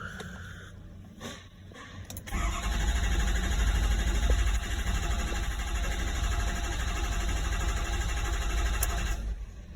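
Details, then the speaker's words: 2013 Ford F-550 6.7 Power Stroke diesel after high-pressure pump replacement (metal shavings in regulator), crank sensor and filters replaced: steady low chugging crank about seven seconds, rail pressure maxes 1300 and drops fast; no start, suspected leaking injector. "the max at 1300 did not start we watching cross coming down immediately as if there's a leak in the system"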